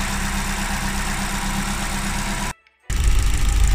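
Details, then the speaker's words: Opel Corsa D 1.4 16V Z14XEP Twinport, warm idle after timing chain replacement: steady idle with light quick ticking about four a second, no chain noise, knock or rattle; normal injector ticking. "Vous on n'entend pas du tout le timing, on n'entend que les injecteurs"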